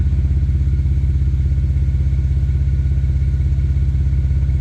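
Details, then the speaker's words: Built BMW N54 335i at idle, stethoscope check for a suspected knock or exhaust leak: steady even exhaust pulses, about three a second in the low thump, no ticking or puffing; owner says compression is even across cylinders. "it's consistent which means compressions even across the cylinders"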